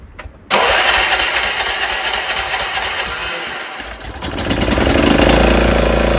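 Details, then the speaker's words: Craftsman 30-inch rear engine rider mower after carburetor and fuel line check: cranks briefly, catches, settles into steady even idle, picks up smoothly with blades engaged; normal start and run. "So it's working. It's not like a regular lawnmower or lawn tractor that you can noticeably hear it go."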